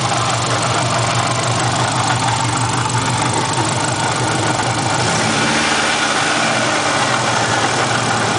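Busy, rough idle with a faint, fast knock buried in the running noise; could be something rubbing up front rather than a bottom-end knock. Cause suspected, not confirmed.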